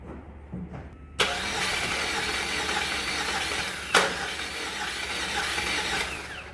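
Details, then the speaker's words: A 2006 Saab 9-3 Turbo with about 200,000 miles was towed in as a no-start. The starter spins the engine too fast and free, with no labored compression strokes, pointing to very low compression. A compression test is planned next. "yeah like it spins too fast like right now has no compression when you get engines like that from the rip doing compression test"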